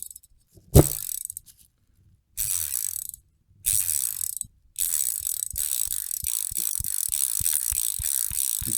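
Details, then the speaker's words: Shimano 7-speed screw-on bicycle freewheel, hand-spun after full teardown, lube and reassembly: light, evenly spaced pawl clicks slowing as it coasts, bearings smooth and quiet; healthy ratchet. "so it's um it's not noisy it's quiet let's listen"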